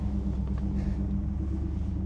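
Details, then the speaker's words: 1964 Ford Galaxie 500 XL V8, on the lift after carburetor rebuild and with exhaust now quieter than the open exhaust: low, steady, muffled rumble with even pulse, no knock or tick; normal clean idle running on its own. "okay here we go so let say quiet sounds good to me now we got it nice and quiet"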